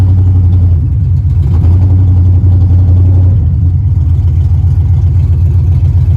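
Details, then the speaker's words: Car with fuel pressure problems: steady starter cranking with no start. The fuel pump can be heard running but no fuel comes through, and the tank is dry to compressed air. A dirty fuel tank is suspected. Crank no-start. "he said now it's not he's not seeing no no fuel go through cuz it is on you can hear you can hear the fuel pump but there's no gases going through it"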